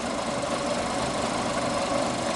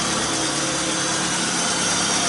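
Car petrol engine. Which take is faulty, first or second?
second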